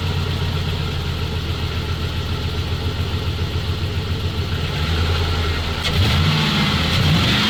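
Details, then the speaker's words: ZIL truck engine at lumpy idle, then a sharp muffler pop as revs rise and the note stumbles; backfire, owner suspects pressure dropping from a faulty pressure regulator, unconfirmed. "как стрельнул глушитель Ну вот что-то ему не хватает давление сходит видимо вот некорректно работает"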